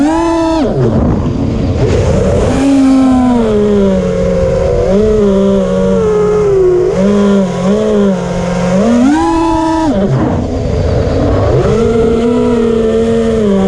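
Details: DYS motors in flight: loud whining buzz whose pitch rises and falls with throttle, with a rough edge on top; motors making a weird buzzing sound in flight, cause unknown.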